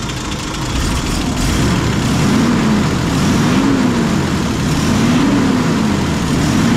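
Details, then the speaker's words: M8 Greyhound six-cylinder petrol engine on test rig after distributor and ignition overhaul: smooth, even low rumble at idle with no misses or hunting after idle speed lowered and mixture adjusted; healthy steady idle. "so I'll drop the ID speed down a bit that probably sounds a bit more appropriate"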